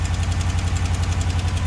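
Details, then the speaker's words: Gen4 Ram 1500 Hemi V8 parts truck that had sat a long time, slightly warm, at an unexplained high idle: a quick even tick of about eight a second from an exhaust manifold leak; manifold gaskets are on order. "but you can hear a little bit of an exhaust leak so there's your exhaust"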